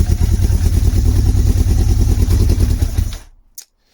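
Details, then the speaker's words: Motorcycle engine not started in a long time, primed with choke on, clutch in and air filter off, struggling to start: deep uneven lumpy thumping about three beats a second as the other cylinder tries to come in, then dies out; rough running. "Let's see. Yeah, struggling. It'll go though. You'll hear that other cylinder trying to come in."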